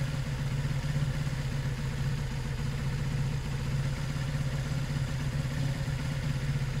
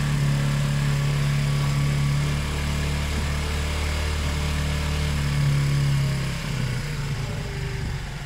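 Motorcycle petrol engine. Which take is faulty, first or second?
second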